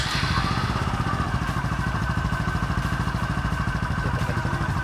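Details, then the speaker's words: Honda Supra 125 after a manual clutch conversion, idling while warming up: an even single-cylinder idle with a low droning hum under the exhaust beat; a part behind the centrifugal clutch bowl is suspected, not confirmed. "sini ada suara benung suara bengong tepatnya sekitar Steve kasih-kasih hate pengumumannya dulu ya macam tuh ya suaranya membunuhnya Ada kemungkinan kir yang di belakang mangkok sentrifugal"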